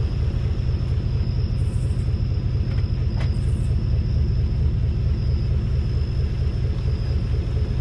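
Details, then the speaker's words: 2018 Chevrolet Silverado with 3-inch leveling kit, driving after front suspension inspection; only steady low road rumble, no creaking or ticking; front suspension now quiet, rear leaf springs still noisy. "boy we are back in business so I didn't hear anything had to wind it down"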